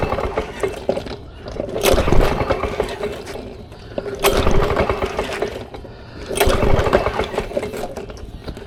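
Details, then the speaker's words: Vintage Lawn Boy Gold Series 4.5hp two-stroke mower found on the curb: three slow recoil pulls, each a swishing crank with no firing; turns over but won't start, owner suspects no spark, possibly fuel delivery. "doesn't sound like it's getting spark that's what that's what it sounds like to me that could be either fuel delivery or it could be spark"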